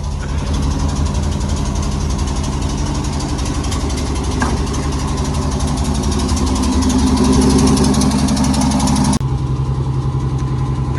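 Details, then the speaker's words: 1971 Ford F-350 crew cab with a straight six, running after sitting 20 years, warming up in neutral: a low, even rumble with a steady beat and no knocks or misses, a smooth normal idle. "oh yeah it's setting my idol you know here with my foot i think it's in neutral let her warm up a little"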